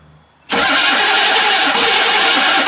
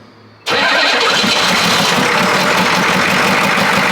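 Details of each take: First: 1982 Chevrolet K5 Blazer, after solenoid was hammered to free it: starter cranks harshly about two seconds without catching; solenoid or connections suspected weak; starter cranking. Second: 1982 K5 Blazer diesel, first start after sitting, glow plugs cycled: brief crank, catches at once, steady even idle clatter with no misses, charging, no smoke; healthy start.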